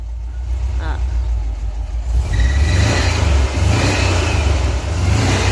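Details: VW Kombi after the muffler was replaced because it had been banging underneath like a pan: the engine revs from idle with a steady, deep exhaust note and no rattle or banging, so the noise has stopped.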